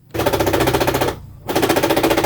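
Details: Honda Click 110i fuel-injected scooter that won't start after a fall; engine light on, fuel pump ticking heard. Two one-second bursts of fast, even cranking, never catches. Battery voltage then dropped to just over 10 V, and the battery was swapped.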